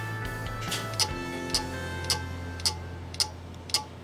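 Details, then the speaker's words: Lenovo ThinkCentre Core 2 Duo desktop, about 8 years old, showing no operating system found: sharp regular clicks about twice a second over a faint hum; hard drive is dead, fix is replacing it. "yeah the hard drive is dead once you replace the harder the computer will be good as new"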